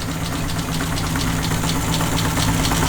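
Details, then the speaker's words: Mazda 121 with freshly swapped B6 1.6 L, first start after running dry: uneven, lumpy idle with a heavy low drone and irregular ticky pulses; rough running. "Alright, change the firing order. Let's see if that fires up a bit better. I think I had number one in the wrong spot."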